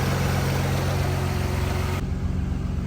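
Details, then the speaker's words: Audi B5 S4 engine idling while warming up after the failed water pump was replaced and coolant refilled; coolant temperature 58 C and holding steady, so head gaskets seem safe. Firm, steady idle with even firing and no whine, rattle or bearing noise; normal idle. "Well, she's running really good. Coolant temp's holding steady, so it looks like head gaskets are safe."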